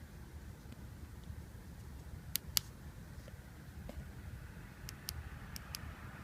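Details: Mitsubishi Lancer Evolution 560cc fuel injector on the bench, seals removed, pulsed by hand with an on-off toggle; crisp, sharp clicks in quick pairs, a good injector opening properly, unlike two dead ones that neither flow nor click.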